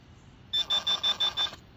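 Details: Garrett Pro-Pointer AT pinpointer testing detection distance on a shotgun slug piece just under three inches from the tip: six quick, evenly spaced high-pitched beeps in a second signalling a metal target.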